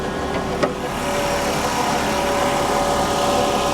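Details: 1984 GMC/Chevy G20 conversion van abandoned for years, at auction: one small click early on, then a steady, even idle with no misses, knocks or ticking; normal idle.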